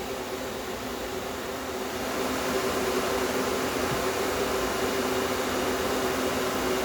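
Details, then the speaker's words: Small compressor in a homemade air conditioner at first start-up, run without the solenoid valve (removed after solder restricted it), no condenser fan. Even steady hum with faint constant tone, no knocks or rattles; normal compressor running. "I just want to plug the compressor in at least you can hear it come on now there you go compressor runs nice and cool"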